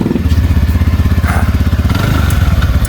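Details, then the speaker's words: TVS Ntorq 125 scooter after repair: even quick idle putter about four pulses a second, only faint auto choke tick; normal idle. "लेकिन अभी देखिए पहले का sound एकदम कैसा था अभी का साउंड एकदम मस्त आ रहा है"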